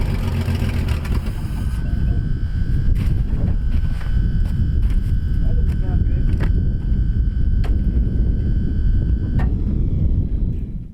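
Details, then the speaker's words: 1957 Dodge 1.5-ton truck, first start after years of sitting: rough, heavy engine rumble with a steady thin whine above it that stops near the end, the starter hanging engaged while the engine runs. "sound you just heard was the starter actually hanging open and whenever i go back into the truck you can see me trying to turn it back over to no avail"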